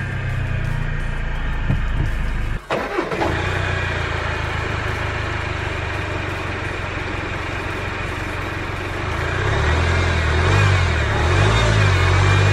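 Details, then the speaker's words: Range Rover Evoque bought cheaply at auction, idling (jacked up): a steady whirr and hum from the engine bay that rises slightly; a worn tensioner or pulley is strongly suspected. "and that's the exact noise I'm talking about definitely sounds tensioner or pulley related"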